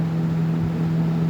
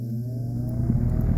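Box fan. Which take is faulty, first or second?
second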